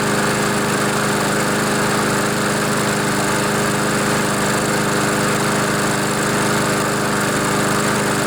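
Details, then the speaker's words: Honda GCV engine mower that was tipped so oil got into the air filter and muffler, causing no start and heavy smoke; now it runs steadily at constant speed with no stumbles or surging. Normal running; the smoke should stop once the oil burns off. "so it runs runs pretty good too"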